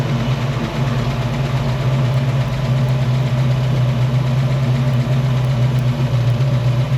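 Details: 1968 Mustang 302 V8, first start after installing a Pertronix Flame Thrower distributor and coil with Moroso plug wires, timing near its previous mark: even, low burble at a steady idle, smooth lumpy rumble with no misses or knocks. Idling happy.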